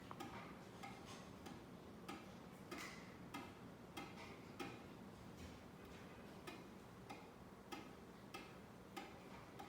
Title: Knocking sound from the ceiling fan